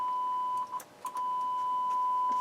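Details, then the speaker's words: Harman Kardon HK350i receiver, test tone into bench speakers previously overpowered: steady tone breaking up with crackly dropouts and rough bursts; torn speaker voice coil, confirmed by swapping left and right speakers, not the amplifier. "Okay, that doesn't sound good at all. There we go. I think that's the voice coil of the speaker that's that's torn up."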